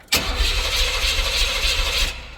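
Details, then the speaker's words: LT1 V8-swapped Jeep YJ fires on starting fluid, runs rough about two seconds, then dies and won't stay running; fuel pump seems to kick on and fuses and relays check OK, owner suspects a fuel-delivery problem. "because it'll kick on with freaking starting fluid, but it will not stay going."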